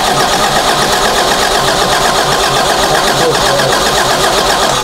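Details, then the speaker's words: Toyota Celica with distributor ignition: steady starter cranking about four beats a second that never catches; spark too weak to jump the gap or reach the cap, caused by a shorted ignition coil. "we have spark, but we don't have, it's not enough."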